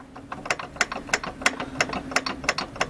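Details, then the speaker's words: VAZ engine with a knock, engine off, crankshaft pulley rocked by hand at the front: sharp metallic clunks about three a second; play from a worn crankshaft pulley key, not the water pump; pulley to be removed. "Явный стук, явный. И вот этот стук, он почему прослушивается и впереди отчетливее. Вот оно где. Шпонка."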